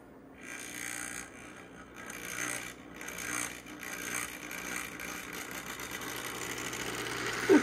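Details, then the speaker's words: Old band-drive model locomotive with B unit, old wheels, first test run from train show: small motor whirs with uneven gritty rattle and irregular clicks; running a bit rough, slower than expected. "a bit rough but not as Speedy as I was expecting"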